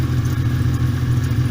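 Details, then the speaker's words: VW Caravelle T3/T25 Vanagon automatic with Subaru H6 3.0 swap, after replacing starter motor whose solenoid was damaged: low, deep, even idle with no misses or rattles; revs now much lower than before, previously erratic idle. "revs have really dropped off. So that's interesting, because so it appears the back connection on the back of the starter was affecting the revs, because it was not revving this low before, and all I've done is swap the starter motor."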